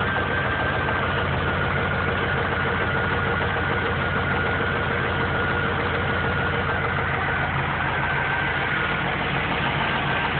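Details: Engine knocking at idle, a dull repeating knock about three per second; oil level was found low some months after an oil change. Owner first suspected rod knock but thinks it comes from the heads; mechanic says rod knock, lifters also suspected.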